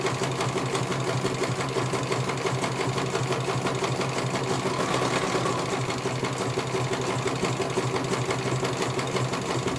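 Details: CNY computer embroidery machine in for service; at first its motor (dinamo) would not turn at all and the bobbin case was missing. Fast, even chatter near three stitches a second, steady in pitch, no knocks or grinding, finishing one colour; normal stitching, judged very good.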